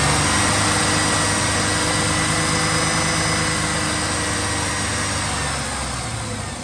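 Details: 2007 Chevrolet Silverado V6 with known lifter tap, before teardown: fast, fairly even ticking over a slightly raised idle, keeping pace with engine speed; engine ticking, noisy lifter suspected, not confirmed.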